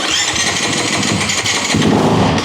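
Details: Brand-new Kawasaki KX250 four-stroke dirt bike, first start from the crate after oil check and priming, cold: engine catches and revs briefly with crisp even bark and clean throttle response; healthy.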